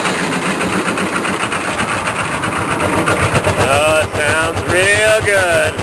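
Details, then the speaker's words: K3500 diesel, cold start after sitting six months and started with quick-start spray: the engine runs while the starter keeps whirring and grinding, staying engaged. Owner suspects the solenoid has melted internally; not confirmed. "more quick start I think the solenoid has melted internally"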